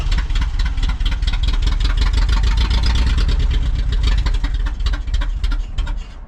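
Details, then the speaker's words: Toyota 4Runner 1st gen with 22RE engine and 5-speed, long-sitting, first start attempt on a fresh battery with pedal floored: starter churns, engine stumbles and half-fires but never catches cleanly; some oil pressure shown, owner says it doesn't sound good; long crank, rough start. "Looks like it's got oil pressure of kinds. I don't know. Doesn't sound good."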